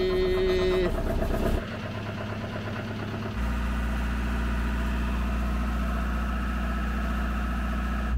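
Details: Diesel generator, hard to start in the cold and jumped with two 12 V packs on its 24 V system: cranks, catches and settles to a steady, healthy idle.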